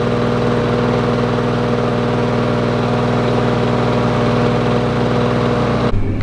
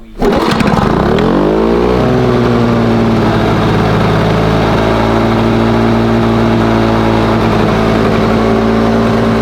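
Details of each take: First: Lawn Boy two-stroke mower, previously running very rich with low revs, started during fine tuning: steady, even buzz at a constant fast idle with no hunting or misses until it cuts off; normal idle. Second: Lawn Boy mower after the fuel mixture screw was opened half a turn richer and the throttle closed a couple of clicks: starts, winds up, then holds a lowish steady buzz. Revs noticeably lower; owner plans to open it three clicks.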